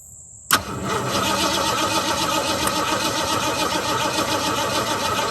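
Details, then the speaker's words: 1969 Mustang that sat 15 years, after new starter, new carburetor and distributor change: catches and settles into a lumpy, uneven, wandering idle; owner suspects too much fuel or a carburetor needing adjustment or replacement; rough running after start. "I don't know if a carburetor needs a gesture if I just need to put a different one on there I think I was dumping too much fuel"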